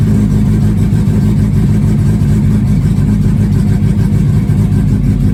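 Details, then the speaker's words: 1969 Mini Cooper S 1275 with Pertronix ignition, cold after sitting a couple months, on choke after tachometer fix: fast, steady, low-pitched idle running evenly without sputtering, revs still coming down, probably set a little high; cold idle on choke. "all right now what do we got we got still coming down a bit probably set a little high"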